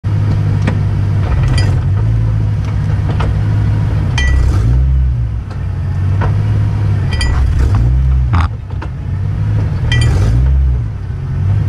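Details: BMW E93 M3 driveline clunk: low rumble under way with sharp, irregular clunks every couple of seconds while accelerating, suspected from the driveshaft; cause suspected, not confirmed here.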